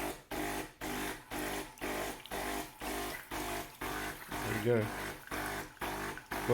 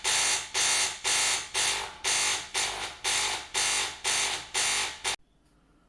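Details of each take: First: De'Longhi Caffè Corso ESAM2800 espresso machine after pump replacement: new pump hums in steady pulses, about two a second, drawing and pushing water normally, replacing the earlier loud buzzing with no water flow. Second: De'Longhi Caffè Corso ESAM2800 espresso machine, hot water pressed: harsh loud buzz pulsing about twice a second, then silence; failed vibratory pump moving no water despite priming, fixed by replacing pump.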